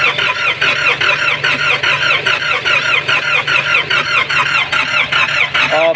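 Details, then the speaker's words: Nissan Patrol ZD30 diesel with low compression, cranking hard without the glow plug heater: slow, labored chugs about twice a second, no firing. "Op ang tigas naman eh kasi wala tayong ano hindi naghi heater to"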